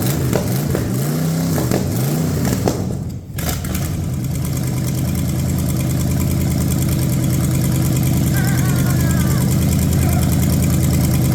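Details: Ford 460 big-block from a neglected farm chore truck, first start on a gravity-fed lawn mower tank and the original mechanical fuel pump, no cooling system: fires up, revs cleanly, then settles to a smooth idle. No smoke, no clatter, great oil pressure.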